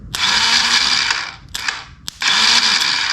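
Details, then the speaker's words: 1985 Yamaha Moto 4 ATV, no start and no turn-over: starter jumped directly with positive at the starter, giving short bursts of high fast whir without the engine turning; starter spins, starter switch suspected faulty. "I want to see if our starter even works with the positive on the starter switch. And whenever we touch this nut right here, if this thing does anything, then that means this is working."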